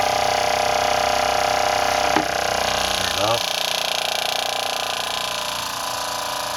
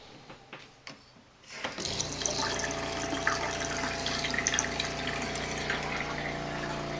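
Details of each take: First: RV water pump after fitting accumulator tank and pump silencing kit: steady mid-pitched hum, then winding down at shutoff, slow to shut off; normal pump operation. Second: RV fresh-water pump running, heard inside the closed RV before a silencing kit and accumulator tank are fitted. A steady droning hum with a buzzy edge, loud throughout the cabin.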